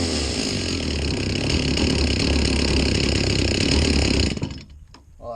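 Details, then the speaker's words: Stihl MS 360/036 chainsaw after a top-end rebuild with the Duke's saw salvage kit: steady, crisp high-speed buzz with no stumbling, then drops off. Smokes from assembly oil in the head. Runs clean; still awaiting tuning. "So far, the Duke's head, that turned out pretty dang good. So I'd say it's pretty good so far. It sounds good."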